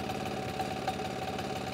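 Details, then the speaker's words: MEP 531A/501A military diesel generator, after fuel priming and decompression-lever cranking, air still in injection system: uneven, stumbling idle with occasional harder knocks while approaching proper 62–63 Hz. Rough idle from air in fuel system. "you can probably hear it now it's still stuttering just a little bit"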